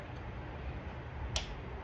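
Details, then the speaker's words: 2008 Dodge Durango 5.7 HEMI with a cylinder 4 misfire: a cylinder deactivation solenoid is toggled, giving one crisp click over a quiet low engine hum. That is the normal action, and the cylinder 4 solenoid was not doing it. "If you hear that, that's what number 4 is supposed to do. And if number 4 is not doing that, then that's a problem."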